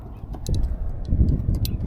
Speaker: it's the key yeah must be the key sure sounds like it was coming from the front end